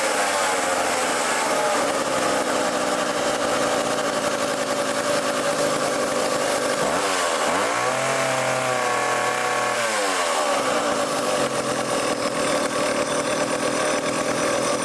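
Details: Old vintage foreign chainsaw during carb tuning (idle screw turned in): a steady high idle, then one clean rev up and back down with no bogging or surging. Normal running.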